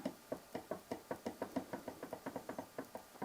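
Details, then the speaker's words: Enjoywood drill press from Banggood: sharp hollow clicks, about four or five a second, as the carriage is rocked, from slack between the brass guide bushings and the vertical rods, letting the carriage twist and the bit deflect. "the fact that there's a bit of slack between these brass guide bushings here and the vertical rods themselves"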